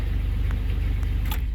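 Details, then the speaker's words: 1999 Chevy S10 4.3L V6 at 236,000, after new distributor cap and rotor fixed a cold crank/no-start (intake gasket and coil didn't help): fires right up into a smooth, even low idle rumble with no misses; healthy. "and see how it goes and she fired right up hear it anyways so try doing the cap and rotor first"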